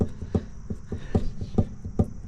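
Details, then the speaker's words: 2006 Mercedes CL500 (W215) with Silvers Neomax front coilovers, jacked up, wheel rocked by hand: dull uneven thuds from loose front coilover spring preload, the same thud heard over bumps; preload adjustment follows. "you can hear that thud sound. So I can hear that over certain bumps."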